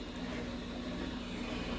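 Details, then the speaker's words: Samsung Eco Bubble WD106UHSAWQ washer-dryer, top cover off, 48 minutes left of a 2-hour timed blanket drying cycle: steady even fan rush and low hum from the drying fan and heater element, normal operation. "Aqui está o motoventilador trabalhando. Aqui é o duto de secagem dela. Aqui tem uma resistência que está passando o ar quente."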